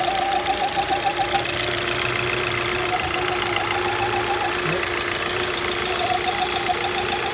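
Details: Alfa Romeo Spider JTS petrol engine at idle: a steady mid-pitched whine rides over the engine, suspected but not confirmed to come from the crankcase ventilation system.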